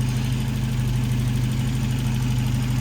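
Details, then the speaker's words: 1993 Volvo 245 turbo wagon, B230F engine, after teardown and repair of an external head gasket leak, distilled water temporarily in cooling system: smooth, even low idle with steady rumble, no knocks, misses or hunting; healthy. "okay this thing is uh sounding great we do need to run get more coolant"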